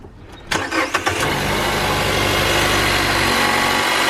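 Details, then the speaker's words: Car after spark plug replacement for rough idle and stalling when clutch and brake pressed: starter cranks briefly, catches within a second and settles into a steady, even fast idle; normal cold start. "Yeah, now that noise you're hearing is pretty much a cold start, and that's completely normal."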